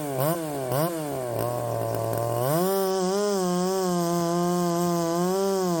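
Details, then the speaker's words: Ported Poulan 3750 chainsaw on an adapted Chinese Echo 590 carb, after the loose exhaust was retightened, tune unchanged: blips, then a fast idle whose pitch keeps wavering. The idle won't settle and richening seems to load it up. "I think that that I mean it's not wanting to settle down and then whenever I rich it up to get it to settle down it loads up or at least that's what it seems as though it's doing"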